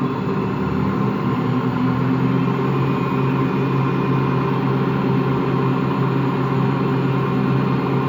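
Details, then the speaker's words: Washing machine running empty on rinse and spin gives a steady low, rough droning growl; drum is not loose, owner suspects bad motor bearings; growling noise during spin. "Yeah, that sounds like bad bearings. Only that the drum, the bearing is not that bad, so the drum is not loose or anything, but it just makes that growling noise."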